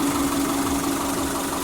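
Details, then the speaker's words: 1999 Subaru Forester S 2.5L EJ25 SOHC, first start-up after head gasket replacement: smooth, even idle with a steady low hum. The pulley squeak is gone after the overtightened bottom pulley was loosened: normal idle. "it was just on a little too tight so i loosened it up and as you guys can hear there's no more squeaking"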